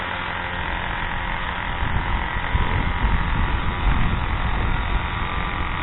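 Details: Craftsman/MTD 2014 25cc two-stroke curved-shaft trimmer running outside after a new Walbro carburetor 753-06190 and mounting gasket were fitted, original fuel lines kept; steady buzz, no stumbling or surging, picks up slightly midway; runs solid.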